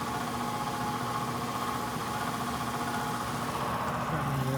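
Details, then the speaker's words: ICP/Heil heat pump air handler on a no-heat call, crusty, rusty blower motor that felt stiff, run to check amp draw: steady drone with hum and uneven rattly roughness; the failing blower motor was replaced. "these are all crusty and rusty but maybe over yeah doesn't sound good [Music] I thought it was a little bit stiff"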